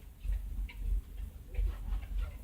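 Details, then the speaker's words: 2000 BMW 318i E46, low fuel, check engine light just went out: low idle surging and sagging about twice a second with an uneven thump, possible misfire; hunting idle, cause not confirmed. "Check engine light has gone off, and the idle, immediately the idle started hunting."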